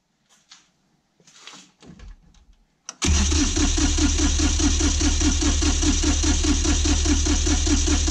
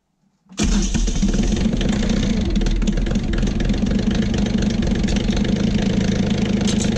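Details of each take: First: Kioti CK20HS diesel tractor that loses fuel prime after sitting: the starter cranks steadily at about four beats a second but it never catches; no start, and the lift pump is found not to be supplying fuel. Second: Kioti CK20HS diesel tractor after cracking injectors to bleed air: a brief crank, then it catches cleanly into a steady diesel clatter without stumbling, idling normally. The overnight prime-loss test is still pending and the owner is unhappy with the fuel pump.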